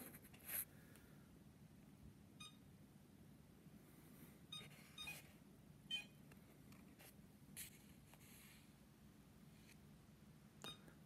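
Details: iLife V5 robot vacuum on its charger, a couple of days old: short high beeps every few seconds over a low hum while the lights flash, then charging continues; it cleans normally.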